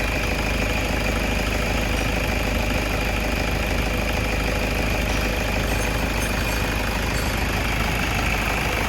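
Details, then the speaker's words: 2010 Toyota Innova diesel 2KD, with check-engine light, power loss and sudden stalling complaints, warmed up: steady, even idle clatter with no misses or hunting; idling normally. "Nah, ini sesudah kita pindahkan ke bengkel ini, kondisi mesinnya itu normal ya, Teman-teman. Tidak ada pincang sama sekali."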